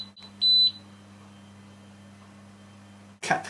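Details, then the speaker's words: Syma X3 quadcopter switched on gives a short high-pitched electronic beep over a faint hum, the normal power-up signal. "Now, if you push the throttle to maximum and then switch on the transmitter, you'll hear the beeps."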